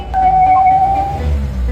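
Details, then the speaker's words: Car engine starts normally, but a clear high whistle holds for about a second when the throttle is blipped; the air flow / intake pressure sensor and intake tract are found clogged with black carbon, disturbing intake airflow. "听到了吧？发动机里面有咻咻咻的声音，你知道什么原因吗？"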